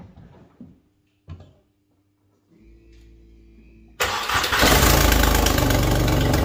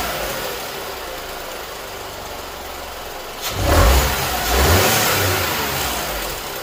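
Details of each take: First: Skoda Fabia 1.2 12V before repair: the engine catches after a few clicks and runs loud and raspy with a fast, tractor-like chuffing pulse. The catalytic converter, integral with the exhaust manifold, is leaking. Exhaust leak at the manifold cat. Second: Skoda Fabia 1.2 12V after replacing leaking catalytic converter/exhaust manifold: smooth steady idle with two clean throttle blips rising and settling quickly, no ticking or exhaust puffing; normal running.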